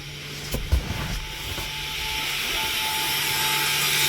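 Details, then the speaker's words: 2017–2021 Toyota Camry ASV70R 2.5L 2AR-FE, ignition on, electronic parking brake released via switch sequence without scan tool; steady electric whine builds evenly over a few seconds as rear caliper motor winds back, normal release. "You can hear the whining noise in the back caliper."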